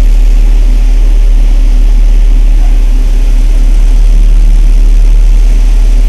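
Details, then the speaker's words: Automatic climate control cycling after an AC compressor replacement, low engine speed: loud steady idle drone as the compressor clutch electromagnet audibly cuts out and re-engages while pressure gauges rise, no grinding or squeal; normal AC regulation. "Donc là il vient de couper, hop, il remet en route. Donc c'est tout simplement la régulation automatique. Hein, donc là on voit bien, on l'entend d'ailleurs, on entend bien l'électroaimant de l'embrayage se mettre en route."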